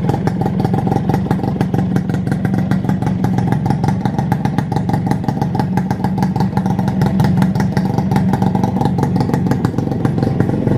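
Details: Suzuki Satria Hiu two-stroke motorcycle after engine rebuild, carb refitted, previously very noisy, now idling with a quick, even crackle and light throttle blips, running smoothly.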